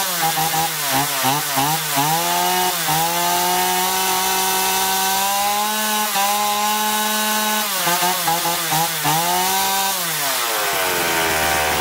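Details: Chainsaw after carburettor cleaning (had surged and lost power even unloaded), both L and H screws set fully in then out 1.5 turns: revs up cleanly, holds speed in the cut, drops and picks up without stumbling; carburettor running right.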